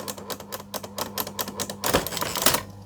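Quick, crisp clacks at an uneven typing pace over a faint motor hum; the electric typewriter is running and striking properly.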